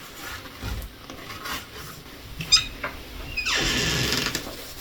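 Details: A squeaky door hinge after silicone lubricant was sprayed from both sides: as the door is worked back and forth, short scrapes and a thin high squeak remain while the lubricant is worked in.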